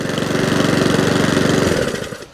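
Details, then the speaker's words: Mountfield 414/416 mower salvaged from the tip, now fully running: steady, even single-cylinder chatter at constant pace, no misses or surging, then dies away; healthy running. "good to go job done okay mountville 414 or 164 now complete fully running as it should do super happy with it"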